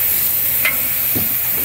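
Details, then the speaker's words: Old grocery-store glass reach-in freezer with timed-off defrost and missing termination switches; bottom ice hosed out while the energized defrost heater elements get soaked. Steady hissing sizzle with bursts of spitting and crackle: defrost heater elements sizzling under water. "So we're able to get down here and start melting this turd out. You can hear the elements not liking that very well."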